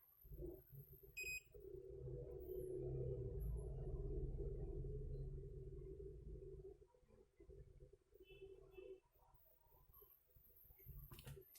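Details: Qantech SSA6-12V02A24 12 V 2 A adapter with no power: steady meter continuity tone held for several seconds shows a short still present somewhere in the circuit.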